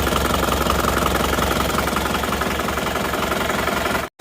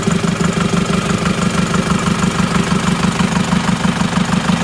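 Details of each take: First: Isuzu Panther diesel that runs lumpy from cold start until warm: uneven, shaky idle with a beat dropping out, pointing to one dead cylinder from a faulty injector nozzle, before the injector lines are cracked one at a time. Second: Isuzu Panther diesel after fitting a new spring to the number one injector nozzle: an even, steady idle knock of about three beats a second with no stumble; cylinder one now fires, though its pressure is highest and still needs equalizing.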